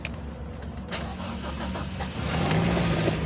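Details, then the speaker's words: Vehicle that would not start, after replacing a blown 15 A fuse: quiet, then engine catches after about two seconds and settles into a steady even idle; clean start. "Yanandar andar na mga ka-idol. Ayos. Ang bilis."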